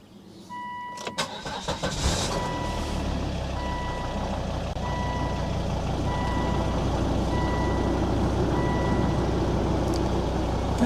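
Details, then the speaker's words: 2003 Volvo XC90 D5 diesel after fitting a new engine mount to cure idle vibration: cranks, catches after about two seconds, dash chime beeping, settles to steady even idle; feels fairly normal, though later chugs intermittently. "feels fairly normal for a D5 actually."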